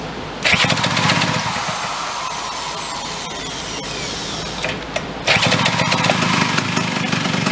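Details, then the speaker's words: Chrysler Sno-Runner snow cycle, small two-stroke, started with a drill: runs raw and loud with a harsh rasping crackle that dips and returns with revs; exhaust leaking where a nut is missing. "Let's get a bolt for the, nut rather, for that exhaust, kind of shut that up a little bit."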